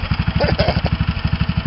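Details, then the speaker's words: Mini bike small single-cylinder with homemade six-chamber muffler: quick even idle around fifteen pulses per second with faint tick; owner suspects excessive valve clearance, runs okay. "think one of the valves got too much gap in between them but it works okay"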